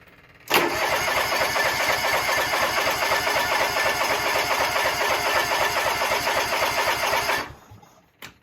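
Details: John Deere lawn tractor after an oil and filter change. A fuel leak was cleaned up, but fuel is still leaking. About seven seconds of steady starter cranking at roughly four turns a second, and the engine never catches.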